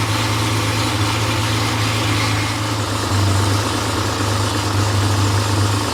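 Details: Freshly rebuilt Porsche 911 air-cooled 3.0SC flat-six at 3.2 spec on test stand, cold from overnight: steady high idle, smooth low drone, no knocks or misses; slightly rich during warm-up, later steady near 950 rpm. Healthy.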